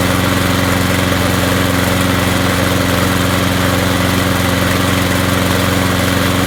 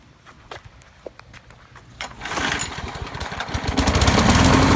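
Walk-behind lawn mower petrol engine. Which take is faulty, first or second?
second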